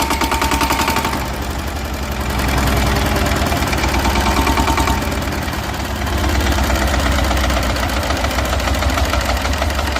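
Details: Yanmar TS190R diesel brushless generator, previously hard starting, after replacing the diesel fuel pump: steady, fairly fast diesel chugging with even firing and no misses or knocks; running healthily.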